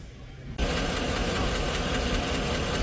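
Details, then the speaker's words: 2017 Chevy Suburban V8 with 109,000 miles, in for a cylinder 4 misfire, idles with a quick steady ticking from a collapsed lifter, blamed on the Active Fuel Management system; a big repair job. "you're going to see it's got a collapse lifter collapse lifter because the stupid ass AFM system that they put in there the active fuel management that are in these trucks are are going out so much faster now"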